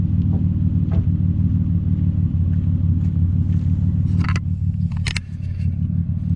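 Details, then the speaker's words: Impala, warm, after shop replaced holed exhaust pipe section: low smooth even idle rumble, no rasp or ticking, much quieter than before, barely audible; exhaust sealed, normal at idle. "So as you guys can tell, it's a lot quieter. We'll head inside and see what it sounds like from the interior. So big difference from before. You can hardly even hear it."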